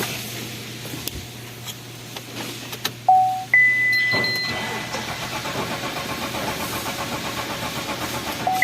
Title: Engine No start but cranking ,,,